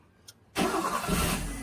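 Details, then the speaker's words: Maruti Suzuki Zen after ECU board repair (replaced driver ICs; fuel pump relay previously lacked ground from ECU and had been wired direct): starter whirs briefly, engine catches at once and settles into a smooth, even idle; normal quick start. "അതിനുശേഷം വണ്ടി ഇപ്പോൾ smooth ആയിട്ടുണ്ട് ഒറ്റയടിക്ക് തന്നെ വണ്ടി start ആകുന്നു"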